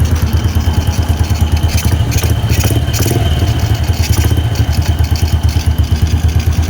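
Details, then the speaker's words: Honda Wave 100 after repair, with the block and valve seals replaced and the connecting rod not replaced: a steady, even idle putter of about three beats per second, no clatter or ticking. Normal idle. "So yan sobrang tahimik mga masher ayan oh tanin natin yung sumasagitsit yung ba walang kaingay-ingay sobrang tahimik."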